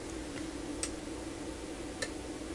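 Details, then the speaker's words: UNI-T UDP3305S four-channel programmable linear power supply in sequence mode: two crisp output relay clicks about a second apart over a faint steady hum as the output cycles between 0 V and 10 V at 1-second intervals; normal relay operation. "and you can see that now we're oscillating between 0 volts and 10 volts with an interval of 1 second"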